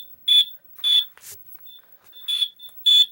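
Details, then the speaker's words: Household smoke alarm tested after a new battery was installed, test button said to test the whole system: four loud, shrill high-pitched beeps, unevenly spaced over three seconds in a quiet room; normal test tone. "That. That when I do that, that tests the whole entire..."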